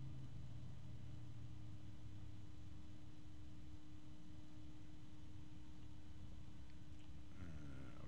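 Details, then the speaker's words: One fan left running after the other is switched off, ASUS ROG Strix XF120 PWM and Noctua both rated at 22-point-something dBA: single clear steady hum with soft air rush, no rattle or ticking, normal running. "I don't know it's kind of hard as far as like actual volume to decide which one is louder because the Asus has a lower pitch than the noctua"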